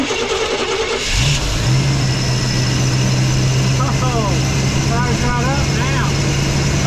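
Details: Chevy 3500 crew cab squarebody after new spark plugs: cranks briefly, catches after about a second, settles into a steady, even idle with no misfire; a small exhaust leak. Healthy start.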